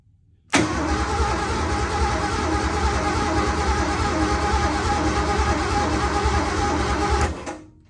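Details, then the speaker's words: 1986 Ford F150 being started for the first time in over 20 years: steady cranking for about seven seconds that never fires; it has spark but no fuel, so power to the fuel pump is being checked with a test light. "right now we are currently taking the test light and measuring I'm imagining but checking to see if we're getting power the fuel tank because we got spark there's no fuel"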